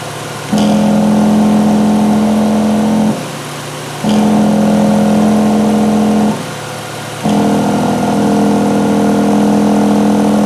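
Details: 2007 Mazda RX8, 1.3 L rotary, codes P0411 and P2259, AIR pump replaced four times elsewhere: steady humming whine switching on and off over an even idle; air pump and valve now cycle normally, valve suspected earlier stuck.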